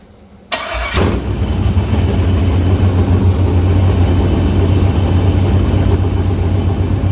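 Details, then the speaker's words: Chevrolet S-10 with LQ9 V8 swap, Holley Terminator X Max and Current Performance harness, first start with no transmission fitted: quiet clicking, then the V8 fires at once and settles into a steady, even low rumble at idle; normal healthy start. "But, yeah, what a good feeling that was to hear that thing fire off, and it sounds good."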